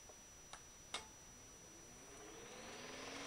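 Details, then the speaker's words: Refurbished antique GE Whiz fan with freshly oiled bearing oil cups and a replacement power cord, on a cloth, unused for a while. Switch clicks, then a soft hum climbing in pitch as it spins up, smooth with no scraping or rattle: normal. "I just wanted to get the bearings lubricated up again with the the oil that I have in the oil cups so I'm just going to turn it on just plug it in here"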